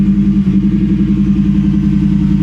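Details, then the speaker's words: Truck with a Ford Coyote V8 and a loud exhaust, at Copart, just after start-up: a deep, even burble with steady pulses, no knocks or misses and no smoke. Check engine and other lights are on, and a front tire/tie-rod issue is suspected. Normal idle. "okay this that's a good sounding coyote guys no smoke"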